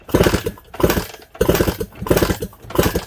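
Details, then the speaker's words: Suzuki DS100: kickstart strokes about one and a half per second give compression thumps but no firing. There is compression but no spark even with two different coils tried, so the magneto and kill switch are to be checked. "So it definitely should have spark. It's got compression, but no spark. So it's really weird that does that."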